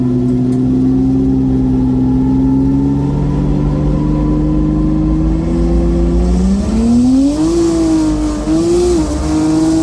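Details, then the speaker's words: BMW N54 with a Precision 6466 single turbo at 34 psi, drag racing eliminations: engine pulls hard with a rising tone, then turns rough and uneven when boost hits. It is misfiring and in limp mode; logs to be checked. "now the eliminations i think i hit boost you can hear it's missing listen to this definitely in limp mode"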